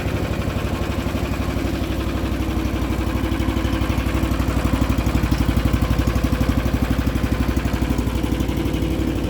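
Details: Cold start at full choke with a little throttle, battery-tender-charged riding machine whose stuck choke was fixed; cold-blooded but starts at -10 °C. Steady, even low thumping idle on choke, no misses, knocks or hunting; normal cold idle.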